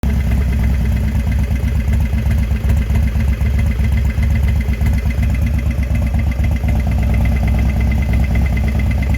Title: knocking noise?